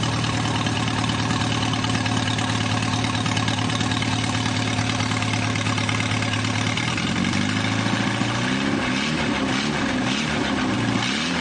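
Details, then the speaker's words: Newly rebuilt 2.1L TR4A four-cylinder, first run test, straight pipe without muffler, revved to about 3,000 rpm: loud steady open-pipe drone climbing smoothly, no knocks or misses, little vibration; normal running. "I'd say it's balanced pretty good. I'm pretty pleased with how that does. It doesn't vibrate very much when it goes up to speed"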